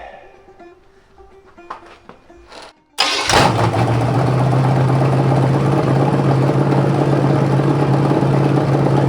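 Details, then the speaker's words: Rebuilt '73 Canadian truck 350 Chevy (big cam, fuelie heads, new piston and rod) for Rambler, after alternator bracket install: clicks, fires near three seconds, settles into deep steady even idle; running just about perfect. "so I think that engine's just about perfect now"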